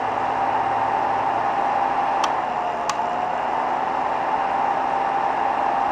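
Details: Heat bed on BI V2.5 3D printer, Rumba board, recorded from under the printer: two sharp clicks about half a second apart over steady fan hiss; heat bed switching suspected.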